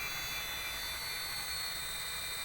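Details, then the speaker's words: Motor driven by Fuji Frenic Mini inverter (380 V three-phase unit fed via single-phase 220-to-380 V step-up), keypad run, potentiometer turned fully down: steady high drive whine over soft hum, held at 20 minimum frequency limit (F16), normal. "ini padahal udah mentok. Tetap dia terjaga di 20."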